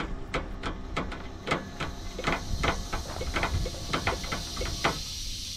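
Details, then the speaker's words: Entegra Accolade Super C RV on a Freightliner S2RV chassis with Equalizer leveling system: after the rear jacks touch the ground, the rear airbags deflate with a steady airy hiss and scattered ticks that lasts several minutes; normal. "what we do is we drop the rear Jacks and once they hit the ground you'll start hearing the airbags hissing and that's deflating those bags"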